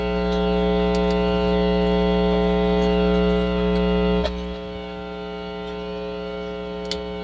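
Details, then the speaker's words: Hum from a DB Audio UMAC 1522 BT amplifier under repair, speaker connected: loud, steady low hum with a buzzy edge that persists even while music plays; suspected missing amplifier ground. A rear connector was found unplugged. "so kahit tumutugtog yan magha-hamming yan kahit may tugtog."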